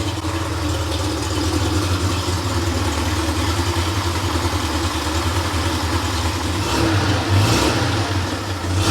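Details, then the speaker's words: Freshly rebuilt Porsche 911 air-cooled 3.0SC flat-six built to 3.2 short-stroke specs, test run on a stand from cold: auxiliary air regulator already closed, so idle dips slightly low before rising toward mid-900s rpm as it warms; smooth, even idle with clean throttle blips, healthy. "So, now the idle's dipped a little bit low. And then as the engine warms up, um you'll see the idle RPM should increase to around the mid 900s."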